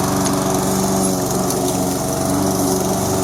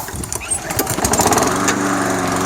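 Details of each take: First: Toro SR4 Super Recycler mower, 159cc engine, after fixing surging by cleaning debris from the carburetor: steady, even drone with no hunting or surging, then winds down smoothly on shutdown. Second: Toro SR4 Super Recycler mower, 159cc single-cylinder, running with the air filter on: it starts, then its speed swells and sags, surging from a suspected dirty pilot jet in the carburetor.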